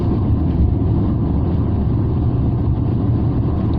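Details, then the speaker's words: Rover 45 V6, freshly serviced and with noticeably better torque; deep, even growl under acceleration with no knocks, rattles or misses as the variable intake flaps change runner length. Normal, healthy engine note. "So I'm not sure which way round it works, but the engine does certainly growl a lot more."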